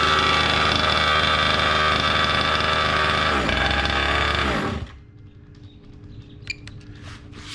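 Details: Gas-powered Losi Desert Buggy XL RC buggy with new aftermarket performance exhaust: loud even buzzing two-stroke rasp at steady speed, then cut off cleanly by the newly installed remote kill switch; engine healthy.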